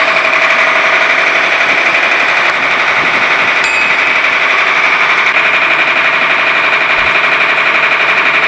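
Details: Mitsubishi 6D15 diesel with a knocking sound from the cylinder head, before top overhaul: loud, rapid diesel clatter at idle with a steady firing rhythm, no separate heavy knock standing out.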